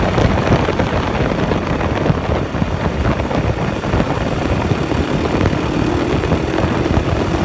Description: KTM 560 SMR started making juddery noise and feel. no longer pulls smooth and hard. you can hear the noise when i accelerate.